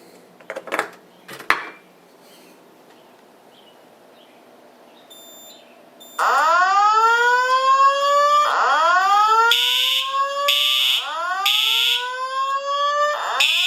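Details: Simplex 4100U fire alarm system, standard smoke detector activated with test spray, voice evac plus horn strobes: repeating rising sweep tones about every two seconds with sharp horn bursts over them; evacuation alarm sounding normally.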